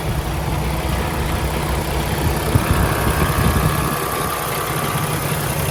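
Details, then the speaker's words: Warm idle of a 2016 Peterbilt 579 with a Paccar MX13 455 hp diesel and Eaton automatic: steady, even low rumble with no knocks, misses or hunting, no smoke, no blow-by from the oil filler cap; normal healthy diesel idle. "It appears to be running excellent. No unusual noises, no smoke out of the tailpipe, no blow by coming out of the oil filler cap. Everything appears to be good."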